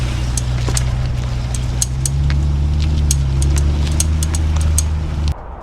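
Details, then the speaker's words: C8 Corvette, ticking only at low speed with the wheel turned, not at high speed or straight: sharp, slightly uneven ticks about four a second over rolling rumble; suspected caked brake dust on the hub. "So today we are dealing with this annoying clicking that you hear only at low speeds and while the wheel is turned. High speeds, or if your wheel is straight, you don't hear it."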